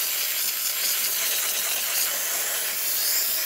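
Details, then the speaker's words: DeLonghi La Specialista espresso machine after internal leak repair, steam test with thermoblock heating up: strong, steady high hiss with no sputtering or pulsing, excellent pressure and temperature; normal steam wand output. "We're seeing much more steam coming out of the steamer one, and as you can hear and see, excellent pressure, really good temperature."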